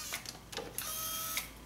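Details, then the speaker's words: Nissan Maxima right rear power window motor and regulator, tested out of the door after repair: short, even motor whir with steady pitch and light clicks at start and stop; the window runs smoothly with no dead spots. "Make sure your fingers are clear of the cable, and it's moving nice and smooth."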